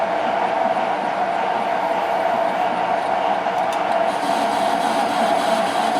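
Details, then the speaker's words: Parting cut in unknown material, likely hydraulic rod, intermittent where earlier hacksaw cut started; even continuous cutting hiss with steady mid-pitched ring, no chatter; parting tool cutting smoothly. "You can hear it being intermittent. That's where I started to cut it with the hacksaw first and realised my error. But it's cutting quite smoothly."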